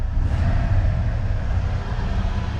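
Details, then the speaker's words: 302 V8 truck, carburetor finally tuned after a bog problem, new throttle return spring fitted so revs no longer hang: deep, steady idle with even firing, no hunting or hanging revs; normal idle. "so after many days I finally believe I've got the truck dialed"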